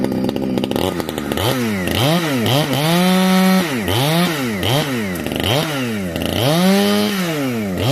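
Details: Heavily modified Husqvarna 455 chainsaw with new homemade muffler (can), compression building as it breaks in; crisp two-stroke scream pulls down under each cut and snaps back cleanly, no stumbling — normal full-throttle running.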